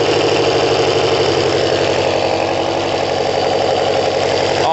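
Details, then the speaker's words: Kawasaki ZL600 motorcycle with new coils, tuned carbs and valves done; not warm, needs coolant, idles just over 1000 rpm with hardly any flicker, air suction valve not blocked off, smooth: normal idle. "it runs look at the idle look absolutely not victory but just over one thousand hardly any flicker at all it's smooth that's and that's with the suction valve not blocked off"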